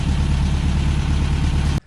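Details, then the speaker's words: 1963 VW Beetle air-cooled engine after new plugs, cleaned fuel pump, fresh gas and Seafoam, warm before oil change: low, even chug holding steady then cutting off; smoother idle, normal. "okay we finally got it to idle smoother i think it just needs to run to get some regularity in it"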